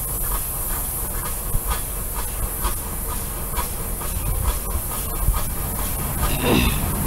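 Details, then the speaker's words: Steam engine from a Missouri brickworks, about 1888–1898, running on compressed air: steady airy hiss with even soft clicking about every half second as valve gear cycles; normal running. "here we have another steam engine running and this one made bricks up in missouri and uh it's humming along there lonnie's got it going it's running on air just clicking"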